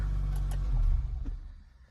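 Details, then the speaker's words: Damaged salvage-auction Audi S5 jump-started with a Topdon JS3000, with faults on the dash: deep, smooth rumble easing back evenly after a blip, no ticking or rattle; engine sounds healthy, normal idle. "And it sounds it sounds insane and it sounds healthy. That is the main thing. It sounds healthy."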